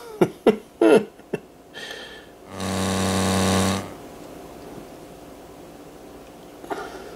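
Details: Montgomery Ward Airline 74WG-1510A AM tube radio with poorly redone solder joints and capacitors, on a bulb-limited supply: after clicks, a loud low buzzing hum swells for about a second then drops.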